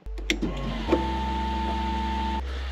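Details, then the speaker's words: BMW 328ci powered only by TOPDON JS1200 jump starter in boost mode, no battery: steady electric hum for about two seconds after key-on, then cuts off cleanly; normal fuel pump priming. "la pompe à essence tu l'entends bien fait son taf"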